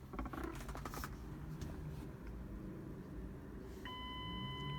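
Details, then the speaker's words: 2002 Mazda Tribute 3.0L V6 being diagnosed for surging and stalling: a steady electronic chime over a quiet cabin, the airbag warning for a restraint control module fault, often a seat buckle contact sensor (cause not confirmed). "And then of course also on these Fords and Mazdas, they got that annoying beep. Will indicate that there's a problem in the restraint control module."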